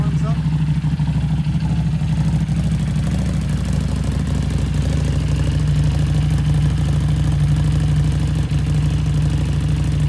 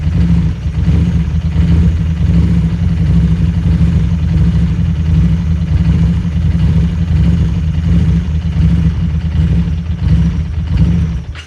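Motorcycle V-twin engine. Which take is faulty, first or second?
second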